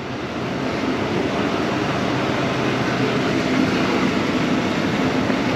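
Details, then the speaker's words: 2020 GMC 2500HD SLT Duramax diesel just after a fuel filter replacement, with the fuel system primed three times. It starts and idles with even, steady clatter and no misses or surging. Normal idle. "okay it started up and running"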